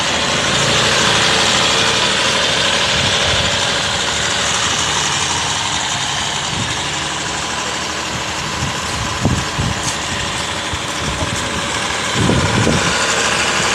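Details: Mahindra XUV with the Hawk diesel engine at 198,347 km, idling after a decarbonization service: steady diesel clatter at about three beats per second, even, with no knocks or hunting, and reduced vibration.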